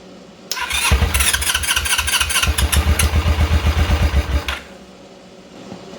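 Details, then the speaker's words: Small engine being swapped onto a go-kart, first start after reassembly: catches and runs a few seconds with an uneven, lumpy beat near idle, never revving, then dies; owner suspects a vacuum leak. "So, it runs, but it doesn't rev. So, um I'm guessing it's probably a vacuum leak or something somewhere."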